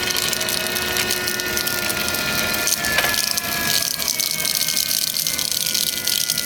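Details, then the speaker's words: 2012 BMW 335i convertible, partial coolant drain and fill, ignition on without engine running, gas pedal held 10 seconds, heat on max: steady whirring hum with gurgling and bubbling as the electric water pump cycles to purge air; normal bleed. "the electric water pump cycling so that'll cycle and then that moves all the air out of the system"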